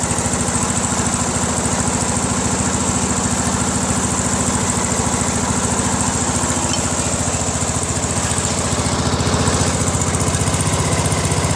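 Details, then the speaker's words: Craftsman LT1000 lawn tractor, 21HP Briggs opposed twin; lumpy loping idle with shake, right exhaust only warm, so one cylinder dead; its spark plug was wet and cold; previous owner reported grinding and gone connecting rods. "so I don't think the cylinders running that's why the vibration because it's an opposed twin right"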